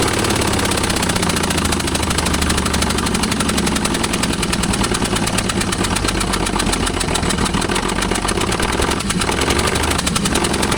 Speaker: So guys, the noise you're hearing is we don't have a spark plug in this dead cylinder. So it sounds like a gnarly tab, but this thing is running.